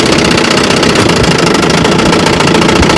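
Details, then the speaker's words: Fully restored 1954 Johnson QD-15 10 HP two-stroke outboard (magneto, carb and gear case rebuilt), on-water test run: busy, even buzz at steady throttle, crisp firing, no misses or knocking; running healthy, slight hood rattle. "All right, we're out here on the water and she's a runner."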